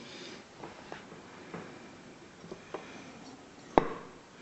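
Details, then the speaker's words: Jaguar E-Type SU HD8 carburettor during jet rebuild: lifting the piston and letting go gives crisp single metallic clunks as it drops onto the bridge, showing the jet is centred; no clunk means not centred. Normal piston drop. "if you don't get that clunk it means it's not centered properly"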